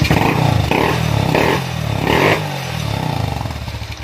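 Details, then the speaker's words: Honda CB with a PWK 30 carburetor that misfired under full throttle, after jet and idle adjustment: crisp throttle blips rising cleanly and returning to a steady idle. The carb now runs properly. "untuk lamsamnya sudah mantap juga untuk gas-gasannya"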